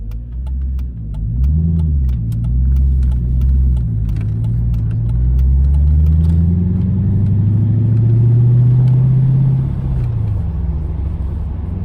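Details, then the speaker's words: Mercedes C55 AMG with M113 engine, just swapped to 6-speed manual, first drive shifting first through fourth; engine pulls cleanly with crisp even pitch rises, no whine, clunk, shudder or vibration, clutch feels good, normal. "Clutch feels good. Yeah, that's fine. No weird vibrations so far, at least. Noises."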